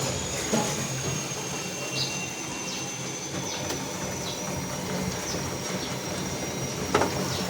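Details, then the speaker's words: LG washing machine after repair, water drained and drum back into spin: steady whir with a faint high hum, no grinding or banging; normal drum spin. "Sir देख लीजिए, घूमना चालू हो गया। फिर से स्पिन में आ गया।"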